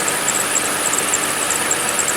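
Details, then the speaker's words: Toyota 2GR-FE V6, about 7 years and 25,000 miles of ownership, idling in January cold: high, thin chirping squeal repeating several times a second; belt or possibly pulley suspected, goes away. "so now you can hear it pretty good you hear the squealy belt might be a pulley that's squealing I don't know but like I said it goes away doesn't cause any problems so it's fine"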